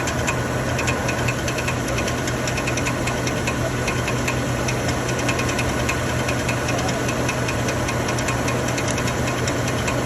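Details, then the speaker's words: 2013 Chevrolet Silverado 1500 5.3L: steady rough idle with constant metallic knocking and rattle; starter drive gear stays engaged with the flywheel, not a flywheel or internal engine fault; noise stops when the starter is pushed and returns when released. "por qué miren el ruido siempre que sostengo que la camisa del del arranque de las marcas del start deja de hacer ruido no es problema de volante"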